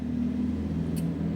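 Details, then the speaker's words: Toyota KF20: steady low droning hum with even tones, no knocks; gearbox and differential very noisy because their oil has never been changed, owner suspects they are worn; 80-90 gear oil planned. "Jadi si olinya ini yang yang Toyota KF20 ini bising sekali ya karena belum diganti oli personelling sama gardan ya."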